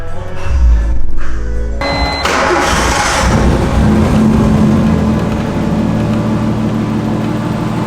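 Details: Car that wouldn't start after possibly being left in rain, after fix (new powered wire to fuel-injector relay via switch): cranks briefly, catches around two seconds, steady run with light revving under music.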